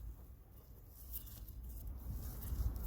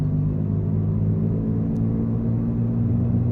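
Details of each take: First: 2014 Jeep Patriot rear wheel bearing replacement: new Timken bearing spun by hand turns free and smooth with only faint low rumble, unlike the grinding old bearing; confirms rear bearing was the hum. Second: 2014 Jeep Patriot 4x4 cruising around 40–45 mph: steady loud low hum, louder at the rear, lessening when turning right; bad rear wheel bearing, later replaced.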